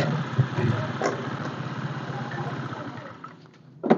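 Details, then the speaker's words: Honda Vario 125 scooter, revved with brake held: rapid rattly knocking from the CVT, fading as revs drop, worse under load while riding, quiet at idle; caused by worn rear pulley shaft from incorrect part replacement. "kurang lebihnya seperti itu ya kawan jadi ketika kita tekan rem lalu kita gas dia bunyi kroto krotok krotok tapi lebih parah lagi ketika pas di jalan"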